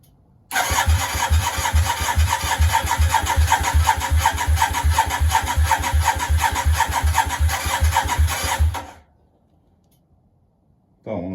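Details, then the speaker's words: Yamaha Virago 535 twin, first start attempt on project, choke on: starter cranks steadily about eight seconds, even chugging, never fires; fuel smell and spark present, owner suspects too much fuel. Crank, no start. "She sounds like she wants to go. Well, not quite. Maybe too much fuel."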